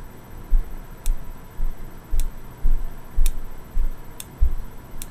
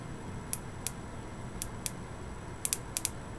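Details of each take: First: Boyer analog ignition box bench test with a 12V Bosch coil from an SR600 single: crisp single snaps about two per second, no doubled sparks; behaves far more predictably than the worn Lucas coil, box working properly. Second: Boyer analog ignition box bench test with a very used Lucas coil, off the bike, 50,000+ miles: single touches of power give sharp sparks in uneven singles, doubles, triples, quadruples instead of one clean spark; worn coil.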